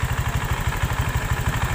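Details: Honda Vario 125 LED: fast, steady low rattling pulse from the rear at certain rpm when throttled, in time with the engine. CVT rollers were fine; cause is the loose right air filter box, fixed by shimming it with inner-tube rubber.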